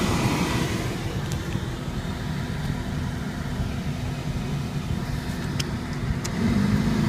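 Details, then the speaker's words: 2003 VW Polo 9N heater blower motor on third speed after removing the dusty, leaf-filled cabin filter: rough rumbling steady blower with a swelling low hum, less loud now; noisy blower motor. "after removing the filter the noise is not so loud now for third speed"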